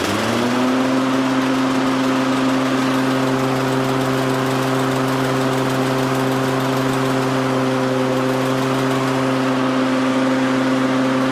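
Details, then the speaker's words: Toro/Exmark 30-inch mower that had blades with little or no power: the engine picks up briefly, then holds a smooth, even drone with no misses or knocks. Normal running. "But should be pretty good. Everything seems to be normal."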